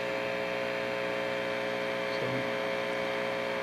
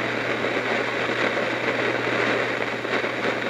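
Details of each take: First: Heathkit T-4 tube signal tracer, after more than an hour running on unchanged settings: only a steady, even hum with no crackle or popping, so the earlier noisy-component problem is absent and it runs quietly. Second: Heathkit T-4 tube signal tracer giving constant random crackle and fizz over a low mains hum; noisy component, likely its unreplaced old paper capacitors, suspected.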